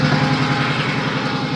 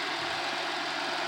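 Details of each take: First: Pontiac 3800 V6, cold, with P0171 system-too-lean bank 1 and misfire codes: uneven, lumpy idle stumbling about three or four times per second before shutdown; vacuum leak at upper/lower intake suspected rather than head gasket. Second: Pontiac Bonneville 3800 that ran like a blown head gasket (P0171), after upper intake repair: smooth, even hiss-heavy idle with no stumble or miss, no overheating.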